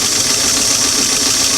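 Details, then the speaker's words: Singer on a fully restored, cleaned and adjusted clamshell foot pedal: even, steady motor whir at constant pitch without stutter or surging; the pedal now gives very slow, slow, medium and fast speeds. "but now instead of going from nothing to to almost fill out we can we can go very slow slow medium fast"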